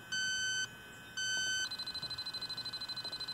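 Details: R-410A refrigerant leak at a solder joint on a new Rheem heat pump outdoor unit, installed just under a year, found at first checkup. A Robinair LD7 gives two shrill beeps, then fast steady ticking reaching yellow, a significant leak. Confirmed with an Accutrak ultrasonic detector.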